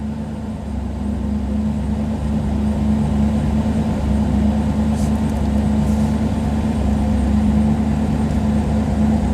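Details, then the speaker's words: IROC-Z V8 with a new engine idles high at 1000–1100 rpm, uneven and misfiring; the OBD1 scan tool's service mode advances the timing, and it settles to about 650 rpm in neutral and 500–550 in gear. "it wants to run around a thousand to eleven hundred and it tends to um misfire and run rough and i've been trying to chase this down now for several weeks"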